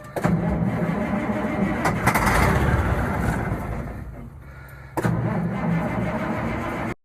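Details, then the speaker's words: Grandfather's old truck with a brand-new battery, started cold with ether: cranks, catches and runs with a low, slightly uneven rumble that steadies; normal cold start. "goes. Still runs pretty good."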